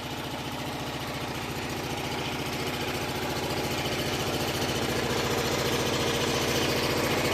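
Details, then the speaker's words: Onan RV generator set, twin-cylinder, running on a rigged vented gas-can fuel supply during a power outage; steady even beat at constant speed, slowly building in level, quieter than owner's other unit; normal running. "Nice little unit. It's actually a lot quieter than this unit. That one's a lot louder."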